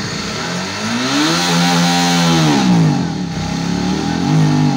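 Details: Suzuki DL 650 V-Strom that falters under hard acceleration: revs climb and sag unevenly with a stumbling note as fuel pressure on the gauge drops nearly to zero, worse when hot; fuel starvation from a clogged high-pressure filter in the pump body and a bad filter refill.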